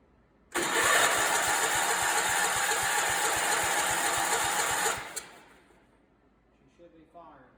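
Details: Barn-find Allis Chalmers 416 garden tractor with loose solenoid wiring, spark present and plug moist; starter churns about four compression beats a second for four seconds, cranks but never fires.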